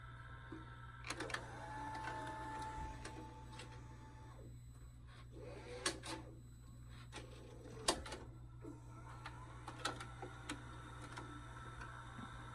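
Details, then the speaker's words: 1992 Shintom VCR450 VHS VCR, after a full recap; soft motor whir and a run of small plastic clicks and clunks as it unthreads the tape before rewinding, normal for this mechanism. "it still has to unwind the tape, unthread the tape to do fast forward and rewind."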